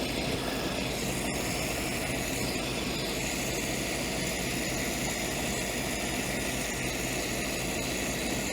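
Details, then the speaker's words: Ford-script Willys WWII army Jeep, after cleaning the blocked carburettor idle jet that had caused no idle and cutting out: steady, even idle with no stumbling or dropouts; normal idle. "But for now, we'll just say that she's a happy thing with just having the idle jet cleaned out."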